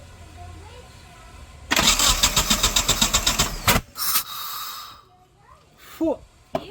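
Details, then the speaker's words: Mitsubishi Eclipse GSX (1995 harness, coils possibly from another year) under restoration, fuel low in tank, started on car cleaner spray: steady cranking about four beats per second, brief catch then dies; injectors suspected, not confirmed. "Okay se sospecha que son inyectores al final Entonces vamos a arrancarlo con car cleaner con cuidado"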